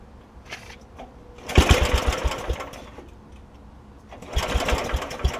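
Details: PowerChief 3500 W generator with 8 hp Briggs & Stratton engine, after fitting carburetor, governor linkage, new air filter and fuel line: fires and chugs evenly in two spells, steady beat, no misses or knocks; running normally.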